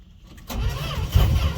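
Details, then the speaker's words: Fargo D100 (Canadian-built Dodge D100) pickup that sat unstarted all winter, cold start with no pumping of the gas pedal; starter spins the engine with uneven low chugging that never fires; cranks but no start. "no bumping cranking over for you Tracy"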